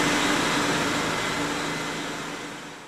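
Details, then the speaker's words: Mercedes secondary air injection (smog pump) after fitting a new pump and replacement relay to clear a check engine fault: steady airy whoosh with soft motor hum, winding down smoothly; the system now works normally. "and that that's the sound of a working secondary air injection system"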